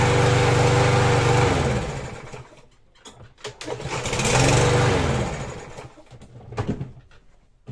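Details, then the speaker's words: Troy-Bilt TB110 push mower, Briggs & Stratton 550EX 140cc OHV engine, after valve adjustment for hard starting, fresh gas: catches on the pull, revs to an even steady run, then coasts down; healthy normal start and run. "all right guys we're good to go that's all there is to it a valve adjustment on these things is super easy"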